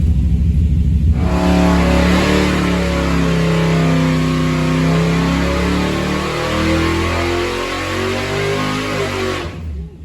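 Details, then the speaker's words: Mopar 400 big block V8 (10.1:1, stock stroke, Edelbrock E-Street heads, Performer RPM intake) on dyno under load, 77 psi oil pressure; deep steady drone now firing on all eight, no stumbles, about 507–516 readings; normal running. "Sounds like it's running on 8 now. Good. So this is 34 degrees? 35, okay. That sounded pretty happy."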